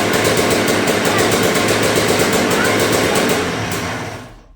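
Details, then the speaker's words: Yamaha YZ125 two-stroke first run after revival: revs with fast burbling uneven crackle and slow clean-up, loading up; running rich, owner suspects main jet too big, carb needs tuning. "I need to tune the carb a little bit. I think the main jet's too big. She's over-fueling far too much, as you can hear on the revving as well."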